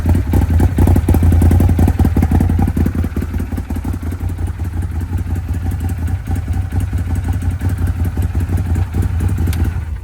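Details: Arctic Cat Wildcat 1000X, with metal-contaminated oil, on its first start powered from a truck. The engine catches and runs on with a steady low thump, no grinding or clatter.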